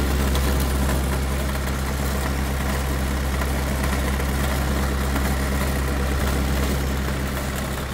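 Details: CAT/Perkins 3054C diesel on a wood chipper, unrun three years, idling after cold start following filter, fluid and corroded battery cable replacement, later found a couple of quarts low on oil: steady, even low rumble, no knocks or misses; normal idle.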